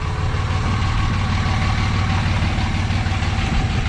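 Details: 2006 3rd-gen Cummins diesel, first start after installing an Airdog II 165GPH lift pump, fleece fuel-filter delete and XDP sump: steady, even idle clatter with a smooth low rumble and no knocks or misses; healthy.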